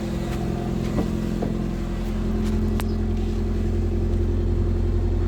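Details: Wrecked Toyota Corolla idling with nobody on the pedal: steady drone at a raised, slightly climbing pitch. Owner suspects the intake-manifold air pipe; engine overheats and coolant isn't circulating, so water pump also suspected. High idle.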